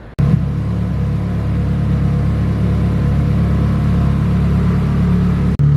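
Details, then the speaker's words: Nissan 240, intercooler piping reworked, first drive after repairs, coolant temperature around 180: deep, steady rumble holding an even note with no stumbles or skips; running cleanly. "right, as you can see, as you can hear, the car runs, the car drives. ECTs is staying around 180."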